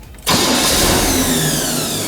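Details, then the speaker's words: 1972 Chevrolet Corvette after replacing a bad remanufactured starter: brief quick crank, engine catches at once and runs steady with no grinding; normal cranking and start, flex plate not at fault. "Oh, that sounded much better. Try it again. Well, that's all it was. Just a bad remanufactured starter."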